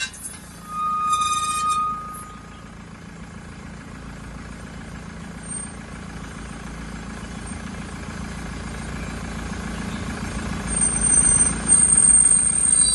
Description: why is my wheel making a noise / what does a wheel bearing problem /bad wheel bearing signs, what is the sound coming from wheels